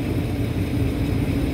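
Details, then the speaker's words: Kitchen AC indoor blower, correct voltage, after a blown line-2 fuse: a heavy low drone with a rough, uneven hum. The motor is shaking even with the belt off and has a dry spot, so a failing bearing in the non-greasable blower motor is suspected. "it's just it sounds like junk it sounds like it could be the motor and the bearing inside the blower assembly"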